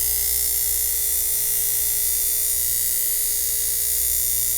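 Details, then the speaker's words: 1950s ATR mechanical power inverter (6 VDC to 110 VAC), during repair after the vibrator pendulum was moved back into contact: steady, high, even buzz with no dropouts or sputter; vibrator contacts making and breaking cleanly, oscillating properly. "so we should have another connection to here that will allow this to make and break contact"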